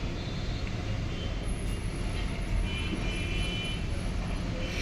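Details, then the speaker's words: Hitachi cassette AC after loosening two screws to cure a noise complaint: soft, steady airflow and a low even hum with no rattle or scraping; blower runs quietly, problem solved. "Problem हमारी solve हो गई अब कोई आवाज नहीं आ रहा है कोई दिक्कत नहीं है"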